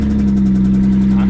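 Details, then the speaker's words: Ford Fusion at a dealer auction, just after cranking: a very loud, steady, low droning hum far louder than a healthy idle, comically loud; cause not clear, loud engine noise at idle. "you guys can hear that I hope you can't hear me because of how loud it is but it's almost comical to be able to crank a car and then that's what happens"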